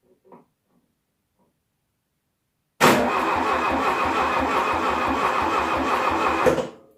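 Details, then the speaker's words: Decades-laid-up 1972 VW Beetle 1200 air-cooled engine, cranked by starter nearly four seconds with no firing; no spark seen at plug lead, coil, condenser or points suspected, distributor swap planned. "seen any spark at all so i'm going to presume the problem now is either the coil condenser or points"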